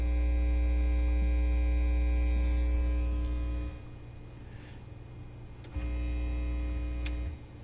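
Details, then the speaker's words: Technics SL-Q2 turntable (plastic plinth), volume about one third: loud steady mains hum, high on VU meter, dropping when ground is touched then returning; grounding hum. "Okay, that's with the volume turned up about 1/3. And you can see by the view meter, it's the feedback grounding noise is pretty high."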